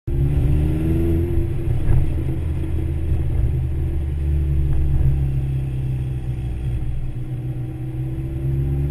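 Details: Vauxhall VX220 Turbo climbing through the revs in 3rd into 4th, misfire developed after work was done; pulls hard but exhaust note stutters and breaks up unevenly once boost builds. Misfire under boost.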